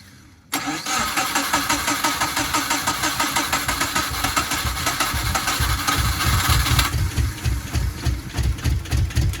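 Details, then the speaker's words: Subaru GC8 with EJ207 STi shortblock, first start after injector install: catches and settles into lumpy, uneven idle with heavy low pulsing; one bank has never fired, engine running on one bank. "It wants to go. So I've lifted the manifold up here because, so this side, what I did was I pulled out the plugs. This side has never fired whatsoever."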